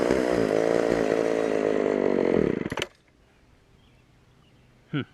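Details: Auction-bought Homelite Super XL chainsaw first start on secondhand non-ethanol boat fuel: high wavering buzz for about three seconds then dies abruptly; lean on the bottom, needs carb adjustment or diaphragm to soften.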